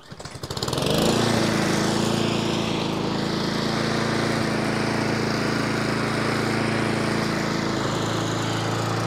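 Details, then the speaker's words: Nearly new Honda Izy lawnmower, GCV145X engine, after carburettor service for hunting and fresh fuel: quick start, then a steady, even buzz with no surging or hunting; normal running. "so that sounds fantastic not a problem there at all"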